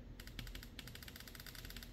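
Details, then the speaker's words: Yamaha Waverunner FXHO/FX140 MR1 fuel injector number 3 bench-tested on the craft with battery power: crisp, rapid, even clicking, a good working injector. "Okay, I can hear it clicking. That's a good injector."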